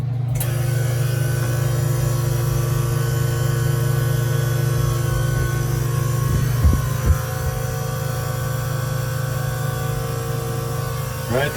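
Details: 1988 Hatteras 65 crew cabin marine AC unit after a control system replacement runs with a steady low hum and even drone, no rattles or surging, vents already blowing cold; normal running.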